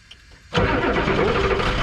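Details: Ford F-Super Duty 7.3 IDI diesel, started after glow plug cycle: quiet, then catches at once and settles into steady, even clatter; quick start, runs cleanly.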